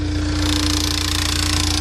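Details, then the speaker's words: Car timing chain, engine running: loud, constant fast clatter that never settles, worse than usual since this rattle typically lasts only a couple of seconds after starting; chain needs replacing. "That is a timing chain. That's probably the worst one we've heard in a while. It's doing it all the time."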